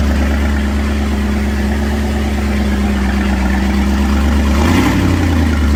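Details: 1983 Formula F20-SC boat's MerCruiser 305 small-block V8, first start (freshly painted short block, starter troubles first), at night: deep, steady V8 idle with a brief throttle change near the end, smooth, a healthy normal idle.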